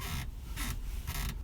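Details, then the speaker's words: 2016 UAZ Patriot driver's seat squeaks high and scratchy each time it is rocked, about three squeaks in under two seconds. "но возник определенный мелкий опять нюанс который я сегодня попробую устранить а именно скрип водительского сидения"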